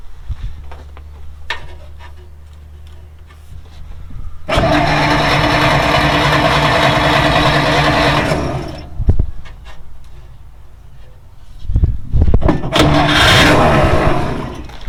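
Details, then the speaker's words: 1940s Dodge army truck sitting 30+ years, cleaned starter commutator, new coil wire, tested coil, used plug wires: starter grinds steadily, then a few ragged sputters but never catches; cranking with sputter, no start. "Sputtered. Well, that's some excitement right there. I gave a sputter."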